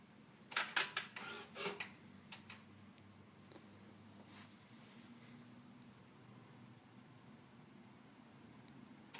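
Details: 2013 Ford Focus, quiet cabin: burst of clicks and a short whir repeating about every 8 seconds after opening and shutting the door, roughly 25 times over 2.5 minutes, from the engine's right side; dealer called it normal, later fixed per TSB 13-4-18, unrelated to grille shutter.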